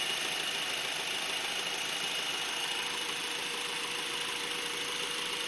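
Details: Brand-new 2012 Honda Accord LX at idle: thin high-pitched squeal/screech steady over a quiet even idle; dealer says normal, owner hears it on no other identical car; source unknown.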